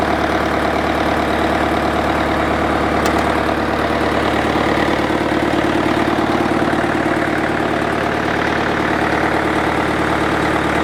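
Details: International 554 diesel tractor, not run for about 5 years: even diesel chug at about three beats a second, steady pitch, no knocks or misses; a clean idle.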